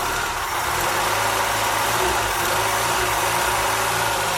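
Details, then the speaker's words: Triumph Spitfire MkIII four-cylinder after a head rebuild and oil-leak fix, warm idle on the lift with the fans running: a steady, smooth low burble with no knocks or misses. Residue is smoking off the headers; it runs healthy. "So she's smoking off there from the junk that got on the headers. That's going down a little bit. She's running pretty good, if I say so myself."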